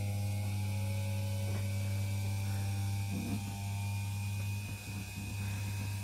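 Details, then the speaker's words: Old Philips hand mixer after relubricating with Vaseline to cure lack of lubrication, lowest speed: steady low hum with even whirr, pitch creeping up as it frees up and the grease settles; smooth, healthy normal running. "you hear it starts running faster faster so the grease is finding its place and this is as beautiful as sound as you can ever get out of these things"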